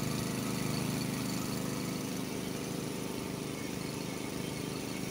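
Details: Honda HS80 snowblower, warmed up, unloaded at fast throttle: the governed speed is about 3000 rpm against a spec of 3600±150, a 15–20% power loss. The single-cylinder drone sits noticeably low in pitch. Low fast-throttle RPM setting.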